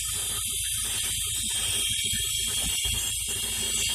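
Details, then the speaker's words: Mazda RX8, warm, at idle: a loud steady hiss of a vacuum leak over the idle rumble that doesn't change when hoses are pulled and is less pronounced from the other side; the owner suspects a loose solenoid, unconfirmed. "I can hear the vacuum leak. I checked all of these. I pulled them and there was really no change in the sound, but you can hear that loud sound."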